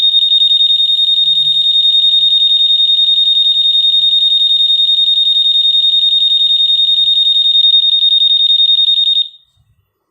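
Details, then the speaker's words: Honda PCX 160 keyless system: shrill, high, rapidly pulsing alarm tone for about nine seconds, then cuts off; the alarm still sounds even with answerback silent mode enabled, as intended. "tapi kalau alarm tetap aktif dan tetap bunyi ya Meskipun dalam silent mode saat menggunakan userback ya kita"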